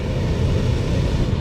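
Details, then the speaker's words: Camper rooftop air conditioner after repair of no-air-movement fault (compressor clicked, fan didn't run): steady even low-pitched blower rumble, smooth airflow, no rattle, squeal or surging; normal blower running. "so everything I did up top is good woohoo"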